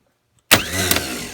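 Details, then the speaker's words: New-style starter for a Gravely 817's Onan CCKA engine, bench tested in a vise with a booster pack jumped to the solenoid: sharp clack as power hits, quick high whirring spin winding down cleanly; the starter works. "Yeah, it works. Awesome. So now we'll take the old starter off the tractor now that I know that this one works, and we'll go from there."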